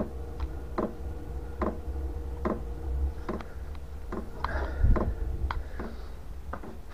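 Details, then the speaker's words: Chinese 5 kW portable diesel heater on bench test in garage, battery under 12 V (about 11.9 V): soft regular ticks about every 0.8 s over a low hum, dosing pump working normally during startup with glow plug on. "battery voltage is down to Under 12 volts uh it's just ticking now yeah so that's the pump there and that's the heater"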